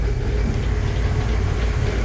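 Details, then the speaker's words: Corvair flat-six after carburetor overhaul, with a bad flywheel noise and a nearly absent transmission mount: deep, lumpy rumble with an uneven beat; idling rough. "All right, so the engine, as you can see, it's running a little bit rough, but one of the trans mounts is pretty much non-existent, so that ain't helping things."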